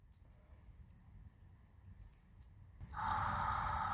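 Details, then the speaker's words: 1980 Mercedes 300SD (W116) replacement auxiliary water pump powered on the bench, old one frozen: quiet, then steady mid-pitched electric hum with no rattles; pump runs smoothly. "Yeah, that one works fantastic."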